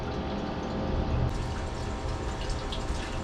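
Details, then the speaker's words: Inline electric fuel pump on a Skylark draining a nearly empty tank: steady low hum with liquid rushing through, even and unbroken; normal operation before the pump starts rattling as the tank runs dry. "still pumping away should start to hear it in that tank here in a minute"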